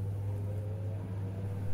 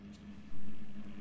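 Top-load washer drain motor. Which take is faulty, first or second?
second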